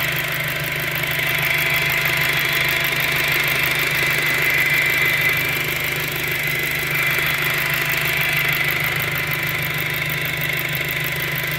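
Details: 2007 VW GTI petrol engine idles with a steady high-pitched whine/moan over the low hum, persisting after a timing belt replacement.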